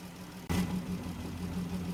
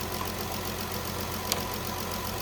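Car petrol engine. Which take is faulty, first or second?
first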